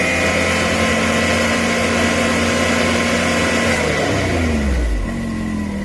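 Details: 2020 Can-Am X3 Turbo RR held at about 5,000 rpm in neutral, sound meter behind driver's head (~74 dB reading): harsh buzzing rattle over the drone, fading as revs drop; noise thought to come from the clutching, unconfirmed.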